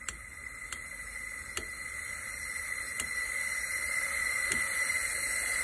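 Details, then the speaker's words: Snowblower engine losing power in snow, cylinder leak-down test with compressor air to about 90 psi, holding about 61: steady airy hiss escaping out the exhaust that swells as pressure builds; exhaust valve leaking badly. "as i'm getting closer i can actually hear the air coming out of feels like the exhaust so it doesn't surprise me"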